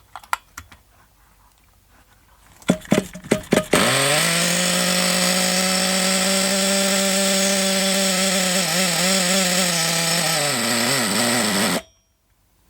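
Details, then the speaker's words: Old Thunder Tiger EB4 S2 Pro nitro RC buggy, an eBay shed find with a still-hot engine and reasonable compression. After a few cranking pops it catches and holds a steady high buzzing whine with slight wavering, running cleanly; nitro supply possibly low. "it sounded good though that sounded good didn't it that run"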